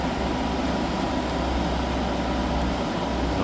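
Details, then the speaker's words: Hyundai portable air conditioner after refrigerant leak repair and recharge, previously blew warm and iced up: steady loud hum and fan rush with no knocks, rattles or surging; compressor and fan running normally, cooling well, just noisy. "Um, so yeah, I'm quite happy it's uh all working and it's significantly cool. It's quite noisy."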